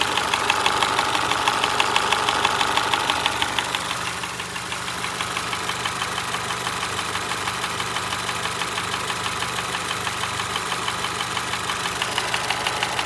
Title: Honda HRV 2025 Engine ticking noise Australia #shorts